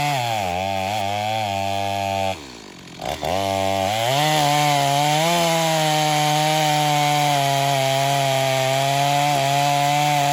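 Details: Stihl MS250 chainsaw test cut after a carb tuning job for not restarting when warm; tuned rich for break-in, possibly slightly low compression. Bogs briefly into the cut, then climbs and holds a strong, steady high rev, slightly rich. Normal running under load.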